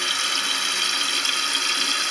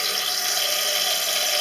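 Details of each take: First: Toilet cistern with worn float/fill mechanism: steady hiss of water trickling continuously into the overflow (safety hole), fill never stopping; cistern overfilling, fixed by adjusting the float screw to set water level about 1 cm below the edge. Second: Toilet cistern after adjusting the float screw, level set about 5 mm below the overflow edge: steady, even hiss of water filling the tank with no sputter or surging; fill valve refilling normally.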